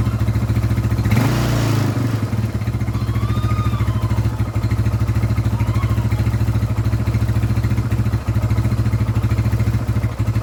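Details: Scorpio motorcycle single, first start after timing chain replacement with a genuine part: settles into a steady, even idle with regular firing beats and no top-end tapping or rattle. Healthy idle; the valves are undamaged.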